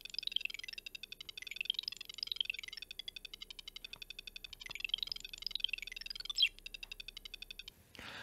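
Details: ZX Spectrum 48K Issue 2 after fitting a new 200-ohm speaker on the PCB: rapid bright beeps and chirps in quick bursts, clear and steady; the beeper works normally.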